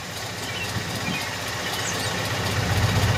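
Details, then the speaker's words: 2002 Acura RSX Type-S after idle air control valve delete, cold engine: slow, slightly uneven idle at about 520 rpm, well below normal. Idle dips low but doesn't stall, even with AC on. "or already up to we're at like 520 right now motor hasn't warmed up"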